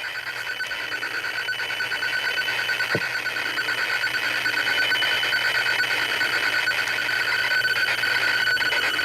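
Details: ZX Spectrum 128k +2 loading the game Equinox from cassette, tape player running faster than expected: steady high-pitched warbling tones with fast even pulsing; normal tape loading tones, load succeeds.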